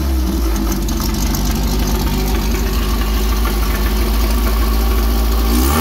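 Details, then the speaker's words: Engine with tri-power setup, all three carbs running together, after fitting a homemade Chevy HEI ignition with improvised plug wire connections: deep, steady V8 rumble with an even beat and a brief rise; running smoother and clearer, though tuning still needs tweaking. "hear how much nicer and clearer it is that ignition took care of just about all my problems"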